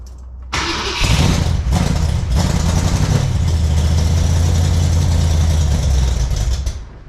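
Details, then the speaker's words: Freshly built 454 big-block Chevy for a 1972 Camaro. It catches quickly and settles into a deep, even, lumpy rumble with no knocks or misfires; judged a healthy engine that runs well. "So what'd you think? Pretty healthy engine, runs pretty good."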